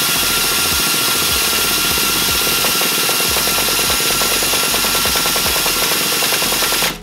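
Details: Small nitro RC buggy engine, just torn down and reassembled after it wouldn't stay running or start, runs with a loud, high, steady scream and fast even rattle for about seven seconds, clutch still winding down after shutoff; running normally before break-in.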